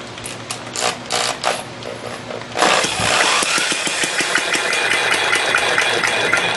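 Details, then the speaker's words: Hobby six-cycle model engine spun up by drill: it fires in ragged, uneven bursts about three a second and never settles into a steady run; the owner suspects the needle (mixture) setting. "I'm not sure it's I think it's the needle is messing up now"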